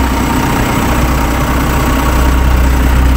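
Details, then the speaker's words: Excavator diesel idling after starter replacement fixed a no-start: steady even smooth low rumble, no knocks or misses; healthy normal idle. "Okay so i start natin yan so andar na siya guys Okay na siya"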